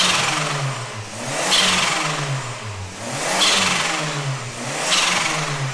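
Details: DIY-turbo Ford Ka about 20 minutes into warming up, blipped about every two seconds, pitch rising and falling cleanly with no knocks, rattles or misses; sounds healthy.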